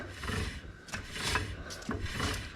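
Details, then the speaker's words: Rear brake drum on a 1961 Oldsmobile, turned by hand just after new shoes are fitted: soft, even scraping each turn as the shoes rub inside the drum. This light drag is the desired initial adjustment. "there's just a little bit of drag on the you can just see the page scraping inside the drum there"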